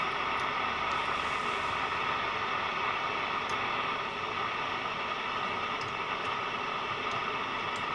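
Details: National Panasonic RQ-434DS boombox radio: a steady loud hiss with scattered crackles and no stations. The signal is not a clean sine wave and tuning makes no difference, so a faulty transistor is suspected; the cause is not yet confirmed.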